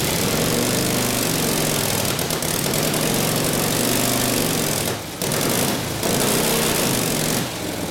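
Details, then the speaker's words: Rebuilt Harley 45ci WL flathead V-twin bobber with freshly set points idles while warming up through a muffler; a loud, fast, slightly lumpy exhaust beat holds steady with no knocking or clatter, idling healthy; it spits flame when revved. "muffer sounds good it does success it spits flame out of when I get after it good getting warmed up a little bit"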